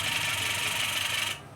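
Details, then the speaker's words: Old washing machine spin motor bench-tested on direct power, spinning both clockwise and anticlockwise: harsh, raspy rubbing roar that stops abruptly when switched off; the motor works but is far too noisy, likely why the customer had it replaced. "Motor हला इसमें आवाज आ रहा है तो जिसका भी replace हुआ होगा तो यह आवाज की वजह से रिप्लेस हुआ होगा"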